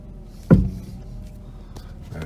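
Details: 1991 Mercedes R129 500SL, 38,000 miles, wheel turned with the car standing: one dull clunk from the front steering components, then quiet; source not yet found, could be either side or the middle.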